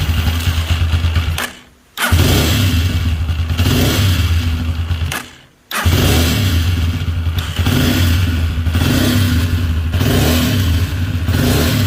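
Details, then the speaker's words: Nexus single-cylinder motorcycle idling with a rough dragging mechanical rattle over the firing beat, dropping out twice; noise traced to the camshaft, Bendix rollers or bearing also considered. "quería compartirles ese extraño ruido que ustedes escucharon a la introducción del vídeo es procedente del árbol de levas"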